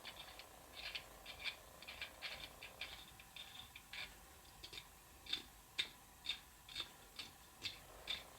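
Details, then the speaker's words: Cheap dowelling jig drill bushing being screwed into its milled centre piece: dry ticking and scraping about twice a second as rough, poorly machined threads catch and grind, not bottoming out. "it's almost like it's cutting its own threads as it goes down through because they're not smooth"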